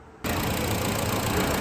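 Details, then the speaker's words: 2013 Honda Civic after water pump replacement for overheating, final check: steady, even idle with smooth low rumble, no knocks, ticks or squeals; no check engine light, no overheating, engine healthy. "गाड़ी हमारी बिल्कुल okay है किसी किस्म की कोई problem वगैरह नहीं है कोई भी चेक इंजन नहीं और ना ही ओवरहीट हो रही है"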